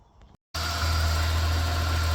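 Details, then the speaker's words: Ford NL Fairlane V8 (Windsor 5.0) with its battery drained after sitting three weeks, jump-started: a click, then it catches and settles into a smooth, even idle with a deep steady rumble; runs fine. "running didn't take much just the better battery"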